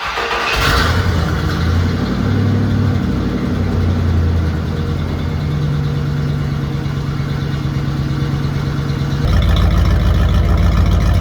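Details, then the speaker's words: Old Ford Bronco cold start on day one, plugs and yellow wires untouched for about five years, new 3-inch side-dump exhaust; loud choppy beat that stumbles and sputters; engine missing, fix planned with new plugs and wires, cause not confirmed. "This thing is not happy, which I knew, but it's missing and sputtering and going to fix that."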